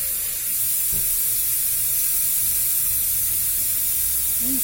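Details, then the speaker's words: Car tyre puncture enlarged with a drill for the bigger repair-screw plug; loud steady high hiss never letting up over five seconds as air escapes fast through the hole. "Quite a catastrophic fail. But I have the bigger plug, if you can hear me over the hissing air."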